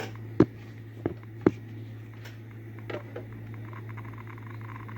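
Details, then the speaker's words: Restored, calibrated 1962 Victor 700 6B Geiger–Müller counter with new capacitor, heard through headphones, warming up, meter near two: sparse random sharp clicks about one a second over a low hum, with some other background noise; functioning normally. "you hear that am I right on two apologize for the other noise but yeah there it is it's back together back in this case and it's functioning fine"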